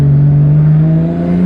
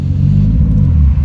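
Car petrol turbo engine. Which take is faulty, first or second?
second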